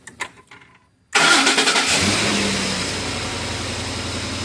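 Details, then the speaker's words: 2010 Ford F-150 with code P060A and an intermittent crank-then-shut-off no-start; after the fuse was pressed down with a back probe it cranks briefly, fires and settles into a smooth, even idle, pointing to a voltage supply issue from a poorly seated fuse or spread pins. "as you can see everything is working shut it off"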